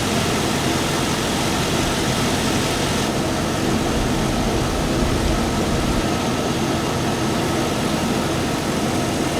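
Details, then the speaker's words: 2002 Chevy Avalanche, 5.3 Vortec V8, idling with A/C on max during an R134A recharge: steady, even idle whose note fills out slightly as the compressor engages, then holds smooth. A/C compressor running normally. "So, before we start charging, we got to make sure to turn it on AC and max blast. That way, the compressor kicks on and runs"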